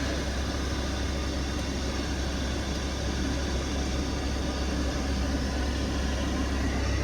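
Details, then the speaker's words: VW T4 with newly fitted aftermarket heater module, tested at engine idle: steady even blower rush through all fan speeds with no rattle, scrape or whine; heater blower working normally. "seems to be working fine yeah we're getting everything okay brilliant"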